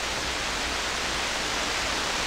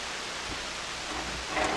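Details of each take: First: Hammarlund SP-600 communications receiver on bench supply, around 16 MHz: steady even hiss with one brief click, no hum, crackle or fading; normal receiver background noise. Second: Hammarlund SP-600 communications receiver, AVC troubleshooting, in double-conversion range: only a steady even hiss across the band, no stations; antenna turned out to be disconnected, reconnecting restored reception.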